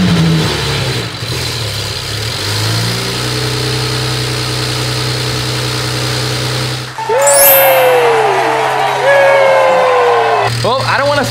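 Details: BMW 335i after misfires: starter turns, engine fires and settles to a smooth steady idle with no stumble; running normally.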